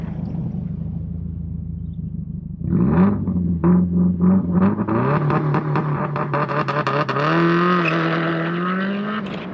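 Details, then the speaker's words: 2001 Subaru WRX "Bug Eye" (called 2002 on camera), 2.0L turbocharged four-cylinder, 5-speed, all-wheel drive, with header, full exhaust and an aftermarket muffler. Deep, uneven boxer burble climbing smoothly with revs. Healthy engine. "um it sounds fantastic it's got that Subaru Rumble that subu verbal kind of thing"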